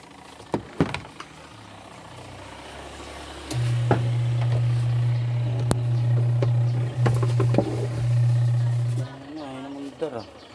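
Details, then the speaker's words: Washing machine that won't spin: its seized (stuck) motor gives a steady low electrical hum for several seconds but never turns. The motor needs replacing. "Bale ano siya stock up yung motor niya umaandar na. Ayan stock lang siya."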